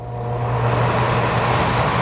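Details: Gas furnace blower after refitting the fan on its shaft so it spins without rubbing: even low hum with steady airflow, no rubbing or rattling; normal blower operation.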